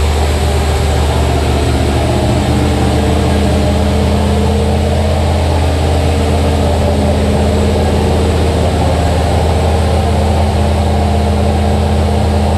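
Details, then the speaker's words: Turbo L33 5.3 LS (323 cubic inch) V8 in Blue Ghost S10, first start: deep steady rumble held at raised idle, not settling; high idle from very basic untuned base calibration, needs tuning. "there it is that's a healthy 323 cubic inches a little bit of a high blur there yeah and we definitely have to Philly around with that"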